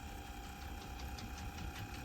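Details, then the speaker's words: Teac V-900X cassette deck during restoration, after head replacement and motor rework (bearing had been screaming): fast forward now powerful but gears still a bit too loud, steady whirring with fast regular gritty chatter about six times a second; noisy gears. "gears are still a little bit too loud but you see how powerful it's now fast forwards"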